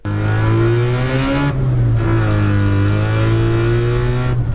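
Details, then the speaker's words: 1974 Mazda Rotary Pickup with RX7 5-speed, new clutch, intake and Holley carb, after removing a clogging window-screen filter: smooth, clean pull, note climbing evenly, no stumbling or hesitation. Normal running under acceleration. "oh dude better than it's ever Ram taking that window screen out of there made a huge difference"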